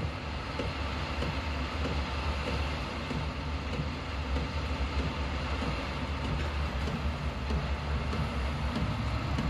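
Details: Diesel heater in a homemade fox box at startup, fuel pump starting and heat beginning to rise: steady even low roar without surging or misfire-like pops; heater settled and burning smoothly.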